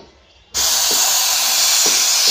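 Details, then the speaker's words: LPG gas cylinder with no valid test-date marking, regulator just fitted; sharp steady hiss begins the instant the regulator goes on and never stops, gas escaping past the cylinder's valve seal; gas leak from cylinder valve seal. "Oke, jadi bisa kalian dengar sendiri kalau tabung gas ini bocor ya. Oke, ya. Jadi pada saat kita pasang regulator ke tabung gas, ini gasnya keluar sobat ya."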